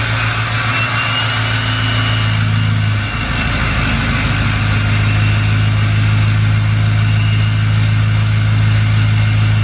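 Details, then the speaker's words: 2020 Duramax L5P diesel truck, tuned, cold start: heavy, uneven idle drone with a faint thin whistle on top; failed turbo actuator leaving the vanes stuck, a common issue that needs fixing. "I just want to show you guys what it sounds like with a bad actuator it does sound sick but it is an issue it needs to be fixed"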